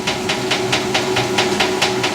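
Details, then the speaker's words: 1989 Maytag Orbital Fabric-Matic washer running a large load of colors: sharp, evenly spaced clicking about four times a second over the running hiss, recurring through the cycle, cause unclear. "there's the clicking sound again"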